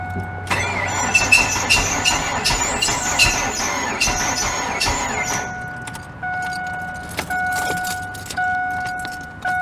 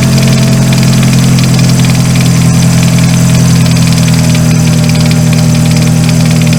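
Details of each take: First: 2000 Ford Focus that tries to crank but won't start: engine turns over slowly and laboriously under a harsh, steady screech and never fires; seized AC compressor pulley bearing dragging the engine. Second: 2000 Ford Focus, after replacing the seized AC pulley bearing that had prevented starting: even, steady idle with a smooth low drone and no dragging or squeal from the belt side. Running normally.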